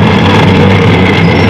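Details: Washing machine running slow and noisy: a loud, steady low droning hum; the fan belt is fine and the worn gearbox is the source.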